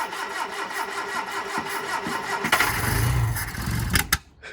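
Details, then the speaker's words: Hillman Super Minx after a carb rebuild with a new diaphragm, first start: steady rhythmic cranking while fuel refills the empty float bowls, then a short rough burst of firing that dies; it later starts and idles, apparently with no fuel leaks. "got a lot of cranking to do get the fuel back up to the carb again as well fill all the bowls"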